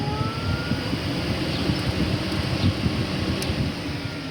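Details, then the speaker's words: Radiator cooling fan on a warm engine, switched from low to high speed during testing after a repair: a constant rushing whoosh with no rattle, scrape or wobble, so the fan runs normally on high. "so let's go ahead and switch this over to the high speed which is just going to be the one right next to it"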